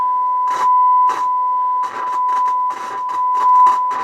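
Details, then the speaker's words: Sony TA-535 integrated amplifier (old garage amp) on bench with tone generator: steady test tone broken by rough crackling bursts as the knob turns, a dirty, scratchy volume potentiometer. "okay let's turn off eight which is dummy load scratchy that is"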